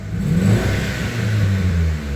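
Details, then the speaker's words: Gen 1 Mitsubishi Eclipse (DSM), revving: low rumble rises and sags unevenly, stumbling at low RPM, worse in gear under load; new plugs and wires, all firing; cause unconfirmed, fuel pressure to be checked next. "it's got that hesitation at the lower RPMs which is magnified in gear under load."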